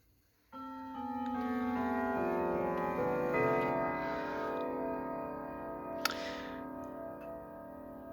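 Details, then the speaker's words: Sligh triple-chime clock, fully repaired, chiming. Clear, evenly spaced bell tones play a full quarter melody, each note sustaining cleanly; chime working properly. "as you can hear it sounds really well but hang on there we are okay so you heard westminster"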